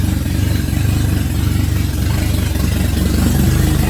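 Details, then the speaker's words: VW Jetta just after first start following head rebuild: loud, raw low thumping idle at a steady beat with pulses straight out of the ports, because the exhaust manifold is not fitted. "And it is loud because I didn't hook up the exhaust. So the exhaust manifold's still off, so it may sound weird."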